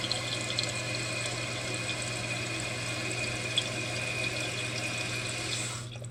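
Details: New Fluidmaster 400A fill valve, replaced because the old one was loud and spitting water, refilling the toilet tank after the float was lowered: an even rush of water with a steady low hum that cuts off cleanly at the end.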